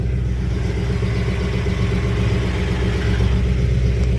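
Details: 1991 Lexus LS400 after transmission oil pump seal replacement and Trans-Go shift kit install, TV cable just adjusted: steady low engine rumble with even drive noise, no clatter or ticking left; transmission now running normally.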